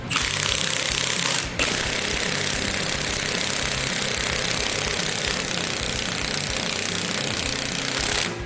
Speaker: When you hear the impact change noises, when it goes, that means it's tight and it's torqued.